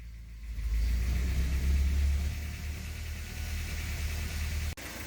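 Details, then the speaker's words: 1983 Porsche 944 project, long-neglected, running roughly after fuel line cleaning, cold start not yet at temperature: low idle rumble swells and sags repeatedly instead of holding steady; surging idle. "Okay, so it's still surgy. Not up to temp yet."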